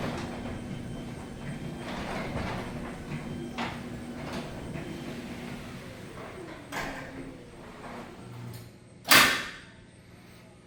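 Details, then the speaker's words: Newly installed Chamberlain RJO101MC wall-mounted garage door opener, after setting door profile and travel limits, run by remote: low quiet steady hum while the door travels, then a sharp clunk as the lock engages; normal operation. "Have the remote. I'm gonna program it to my other remotes, but get an idea of how quiet it is."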